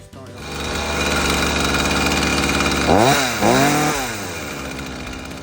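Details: Ryobi 40cc chainsaw after cleaning, running hot (chain dull and cutting poorly): steady idle with two quick throttle blips that rise and drop back cleanly without stumbling; the engine runs healthy.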